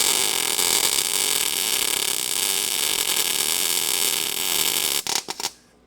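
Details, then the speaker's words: MIG welding thin sheet metal on a 1969 Dodge Coronet 500 restoration, panel edge not twisted flush: hissing "sizzling bacon" weld turns rough and sputtery, like farting into a cup, as the arc burns through; MIG weld blow-through. "You will you'll know when you blow through because the sound changes. It makes that noise like it sounds like somebody farting into a cup. It'll go from sizzling bacon to farty bacon."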